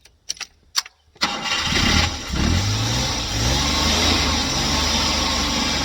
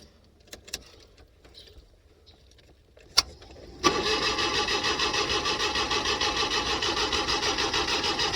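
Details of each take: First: Car after the gas was turned down and the air closed in (the mixture had been set too rich), battery tested good: a few quiet clicks, then it catches within a second and settles into a steady, even idle with no misses. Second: LPG-fuelled car on a cold morning that would not start: steady starter churning at about three compressions a second for five seconds, never catching; the LPG mixture regulator was open too far, flooding it rich.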